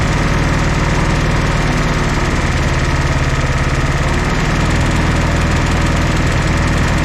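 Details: 1964 Jeep CJ5 barn find, previously seized engine, just revived: low, steady idle with even chug on all cylinders after the fourth kicked in, no misfire gaps or knocking; smoky but running smoothly.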